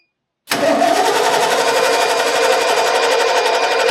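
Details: 1989 Ford F150, 61,000 miles, sat over 20 years: starter cranks at even steady rhythm about three and a half seconds without catching. Turns over but won't fire; owner suspects old fuel.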